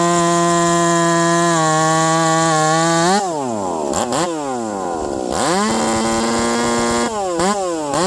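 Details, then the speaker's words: Ported Stihl MS460 chainsaw cutting frozen wood: high, steady full-throttle scream sags and wavers as the chain bites, then picks back up; the RPM change in the cut is from the frozen wood, a normal drop under load. "Could you hear the saw changing RPM in the cut? That's because this is frozen."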